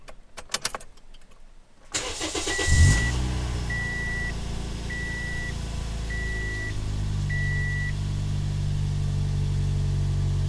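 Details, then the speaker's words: Toyota Yaris with a swapped-in 1ZZ throttle body, started after the throttle body was cleaned and the intake lowered: the starter cranks briefly, then it catches and holds a steady, even idle under a once-a-second chime. "it looks like it's holding steady"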